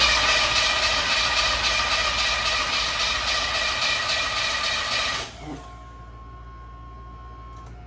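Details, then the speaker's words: 1981 Corvette that sat in a shop for 15 years, cranked before fuel is added. Steady, even cranking pulses at nearly four a second, cylinders sounding even: normal cranking. "All right, she sounds real healthy. She sounds real healthy."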